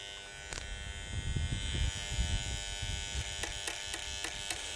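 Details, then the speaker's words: Bell & Howell 652 16mm film projector on first power-up after being found in the trash: hard steady electrical buzz with handling knocks; relay on top and motor smoking. "There's where the noise is coming from. Right, there's a relay on the top. Uh, I'll get a picture in a second, but it's smoking."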